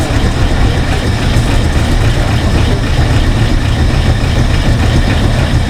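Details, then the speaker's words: 1968 Ford F100 small-block V8, out of a junkyard after 12–13 years, first start with no radiator fitted: deep, steady, even idle with no knocks or misses. Sounds good; shut off when transmission fluid started leaking. "All right, start it. That's amazing. It sounds good too."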